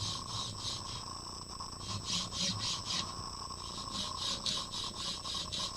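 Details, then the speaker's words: Prusa MK3S 3D printer during MK3S+ upgrade, Y-axis bed moved: raspy, uneven gritty scraping pulsing about three to four times a second; owner suspects a bad linear bearing causing the Y-axis noise. "I'm going to concentrate on the y-axis so this one scrapes yeah there can you hear"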